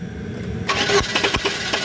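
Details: Chevrolet Cruze with engine hesitation: engine catches after a brief crank, then settles into an uneven idle with irregular stumbles; misfire suspected, cause unconfirmed.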